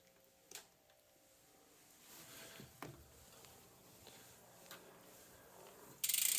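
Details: Priority 600 bike with 12-speed Pinion C1.12 gearbox in first gear: quiet light ticking about four clicks a second as drivetrain turns, no grinding or crunching; normal gearbox and freehub sound.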